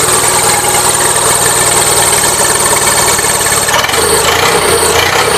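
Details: Gravely 450 with Onan CCKA twin, shroud off, running with an uneven busy knock and harsh hiss; running a little rich, owner suspects compression escaping or piston trouble, now doubting cam bearings; engine knocking.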